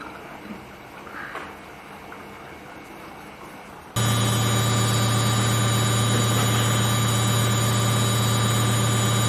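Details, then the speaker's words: Samsung Eco Bubble 8 kg front-load washer on Baby Care cycle just after start: quiet for four seconds while taking in water, then a steady low motor hum as the drum turns; normal spin start. "And now, as you can hear, the machine is, it's taking in water. You can hear those sounds. And it will begin spinning in a moment."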